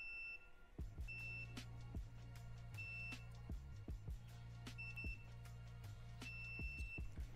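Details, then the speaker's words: Triumph Street Triple 675R fuses checked with a multimeter while chasing the engine cutting out while riding: short high beeps one after another between probe clatter, every fuse ringing through; fuses good, not the cause. "okay they're all ringing out but I am also going to visually inspect them n all our fuses are fine"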